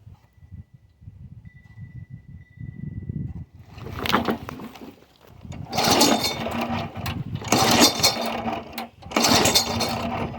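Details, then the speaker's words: Yard Machine 22-inch push mower, Briggs & Stratton 4.5 hp engine (2007), primed after cleaning. About four pull-cord cranks, each a short whirr with compression but no firing. Spark plug found soaked; owner suspects water ran into the cylinder while tipped up, possibly too much oil. "Okay, back in the shop or basement from trying to start it, and this plug is soaked. It's not fresh gas. It don't really have a smell to it. I think a bunch of water ran into the cylinder while we had it tipped up from somewhere."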